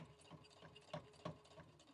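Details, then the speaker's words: Brother Innovis A150 sewing three layers of thick fabric at slowed speed: slow irregular clunky thuds as the machine labours through the layers, but it keeps stitching. "Okay, so can you hear that? It's a bit clunky. That's my word of the day, clunky. I mean, it's stitching it."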